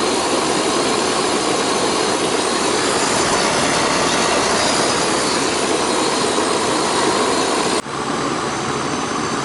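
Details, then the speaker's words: Central air conditioning unit after a leaking Schrader valve core at the evaporator was fixed and about 5 lb of refrigerant added: steady, even condenser-fan whoosh with the compressor humming underneath, no rattles or cycling; running normally. "it's back up and running y'all back up and running all right that one's up and running"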